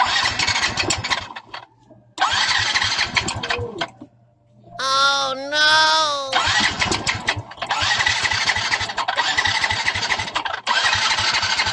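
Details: Yamaha Mio i 125 scooter, sudden noise began a few weeks ago: engine running with harsh, rapid metallic clatter; loud engine knock, owner unsure whether piston slap or connecting rod, seat, box and battery to be removed to confirm.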